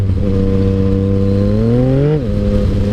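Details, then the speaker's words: Motorcycle with shorty levers, block-off plates and a quick shifter: revs climb smoothly, then flare and drop near the top without pulling harder. Clutch slipping under acceleration; owner suspects the clutch lever and cable are adjusted too tight, partly pulling the clutch in. "hear you hear that slipping we're definitely gonna have to fix that I all that is I believe it's me adjusting the clutch lever too tight the cable is too tight and so it's already pulling the clutch in slightly"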